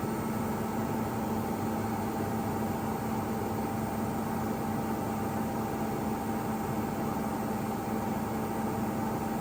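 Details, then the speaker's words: Ipso ILC98 washer on a 60°C whites wash with a small towel load, during spin after lengthy balancing: steady even hum with a constant mid-pitched whine and rumble, no knocking; worn motor bearings. "You hear the motor bearings."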